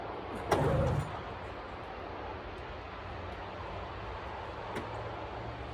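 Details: 1996 Arctic Cat ZRT 600 two-stroke snowmobile, cold start the day after the fuel pump rebuild, with fuel shut off overnight and sled tilted on its tripod. A short rev blip, then a quiet, steady idle that holds: normal cold start and running.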